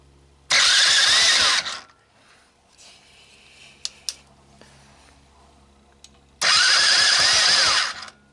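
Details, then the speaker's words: Sunl 110ST Chinese ATV, formerly seized engine with honed cylinder, cold start with gas trickled from a small fuel tank, no gas tank fitted, starter jumped: hard raspy burst, revs about a second then drops off, again later; engine catches. "given that it's not wearing a gas tank I'm gonna hope for the best we'll see what happens so it's time to give this thing a cold start right"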